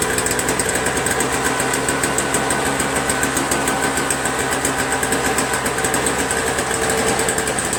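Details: Toro Snow Commander 7HP R-Tek 24" single-stage snowblower, previously no spark and wouldn't start; spark returned by itself without magneto replacement: single-cylinder engine at a steady fast beat, even firing pulses, no misses; running normally.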